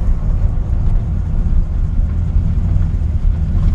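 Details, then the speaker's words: 1960 Ford F100 V8 with an RV cam, warm after a drive: deep, even low rumble with slight lope, staying steady as it pulls away; healthy engine. "I'll stop here and we'll shift out it's got a nice little Rumble to it"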